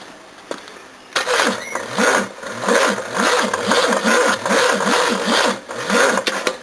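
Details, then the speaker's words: Second-hand Japanese Nippon Denchi GS battery, owned about 7 years and charged occasionally, cranking a 351 V8: slow, laboured grinding of about two uneven turns a second with no catch; the battery is getting tired. "Oh, it's getting tired these days."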